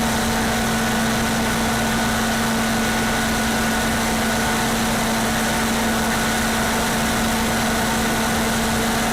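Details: Older standby generator, one of the newer older units, with its muffler still on, idling without load during a pre-storm test: loud but steady engine hum with constant pitch and even rumble, no tapping or surging; healthy.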